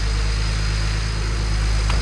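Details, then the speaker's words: BMW E91 335i, newly fitted replacement N54 engine idling after the engine exchange is finished; smooth, deep, steady idle with an even low rumble and no knocks, ticks or misses; running healthy. "it sounds [ __ ] mint. Finally all built up. That is the engine exchange completely finished. Now it's up and running."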